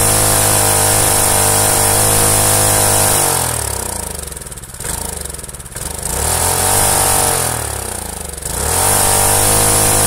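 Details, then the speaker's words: Rusted Predator small single-cylinder engine, formerly seized, run with the head gasket removed so the head sits closer to the piston: revs up and settles with a crisp, even, smoother beat from the extra compression; runs perfectly with no deck leak seen. "wow that's got quite the sound to it how about that that's impressive not only does that run perfectly but it sounds just that much fluidier with with that much extra compression"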